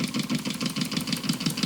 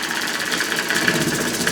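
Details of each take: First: Homemade single-acting oscillating (wobbler) steam engine, runs fairly slowly: even steady puffing about six beats a second with no knocks or misses; running smoothly and healthily. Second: Homemade single-acting oscillating steam engine on live steam at a full 10 lb: quick even chuffing over a constant airy hiss; steam leaking between cylinder and port faces, typical for an oscillating engine.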